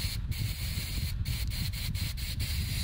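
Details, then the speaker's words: Coleman CQ table lamp valve, blown through with shop air once backed out enough: steady strong hiss passing straight through, no sputter or choking; passage clear. "there it goes just didn't have it uh screwed out enough"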